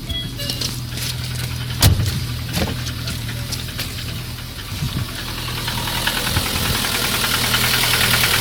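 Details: Piston slap on a Lada 1.6 8-valve 11183 engine: rough idle with uneven hollow knocking about three times a second; knocked from new but quieted when warm, by 20,000 km knocked hot; valve adjustment didn't help, pistons replaced.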